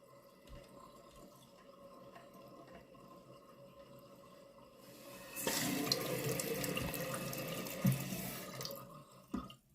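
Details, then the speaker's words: Toilet: steady rush of water refilling the tank that keeps going, stopping when the flapper is pressed down; a leaking flapper is letting the toilet run. "is it the flapper it's the flapper y'all hear that"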